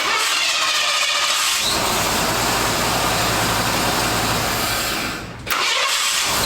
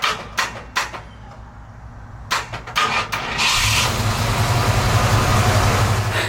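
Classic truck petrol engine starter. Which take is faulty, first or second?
second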